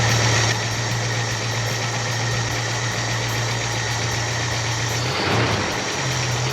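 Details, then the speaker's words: 1966 Ford Mustang carbureted engine, after sitting for years: settles into a smooth, even low idle with no knocks or misses; runs nicely. "Run's pretty nice for not having been started"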